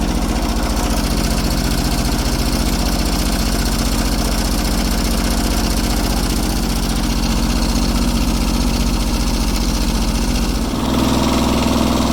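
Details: Kubota G4200 garden tractor diesel, first start on blocks after restoration, with the fuel system redone and bled: a steady, even chug of about four beats a second with no misses or knocks, a healthy idle.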